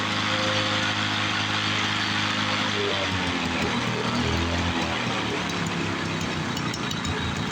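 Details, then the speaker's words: 1986 Toro 21-inch commercial mower with Suzuki two-stroke engine, apparently unrun for years, revived: fast, even two-stroke buzz with crisp crackle, steady speed; air filter needs replacing, carb to be blown out; normal running. "yeah it sounds like a two-stroke should"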